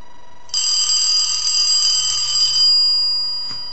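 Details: Restored elephant-style telephone after hook switch and bell bracket redesign; clean bright bell rings about two seconds and fades evenly with no buzz or rattle, ringer healthy.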